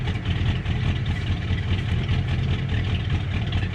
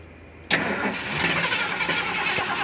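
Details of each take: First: 1977 Ford Camper Special, first start after sitting several years, warming up: deep, even exhaust rumble at steady idle with no misses or knocks, strong exhaust smell; normal idle. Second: 1977 Ford Camper Special that had sat for a few years, cold start with pedal pumping: it cranks and catches roughly with an uneven, hissy stumble instead of settling into a clean idle. Hard cold start; old, nasty gas is suspected.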